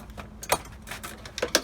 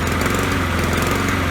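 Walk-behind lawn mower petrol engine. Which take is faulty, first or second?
second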